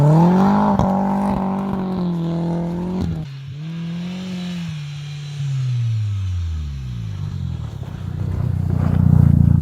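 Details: Audi/VW 1.8T after fitting bigger injectors and a new metal bypass valve in place of the plastic one, cone filter fitted: revs climb and fall repeatedly over a low drone, with a soft rush as boost lets go; normal diverter valve venting.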